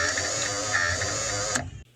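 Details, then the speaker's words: Power window motor removed from car door, run out of the door: harsh, gritty grinding for about 1.5 seconds; motor internals full of rust grinding in the gears. "and you can hear there that the grinding's coming from the inside the electric motor so i took a hammer and screwdriver and popped the back off and you can see the inside is all full of rust and that's what's grinding in the gears"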